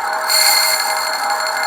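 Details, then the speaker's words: Brown & Sharpe #13 grinder, dresser angled up slightly: high steady ringing hiss with faint rhythmic ticking as the diamond just kisses the spinning wheel, a clean normal dressing contact. "crank you in now clearance is I'm looking at the clearance it's about to touch you'll hear it you hear"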